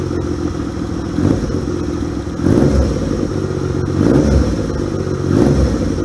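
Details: 1978 Yamaha XS750 Special triple, first run after a three-week revival, kick-started on choke: lumpy steady idle, then four quick throttle blips about a second apart settling back cleanly; healthy.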